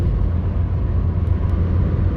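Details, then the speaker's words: 2005 Hyundai Accent, in cabin while driving, after a backyard welded exhaust leak repair: smooth, low road rumble, quiet on acceleration and deceleration, with the former roar gone. "So you can hear everything's nice and normal. Decel's quiet. Acceleration's quiet."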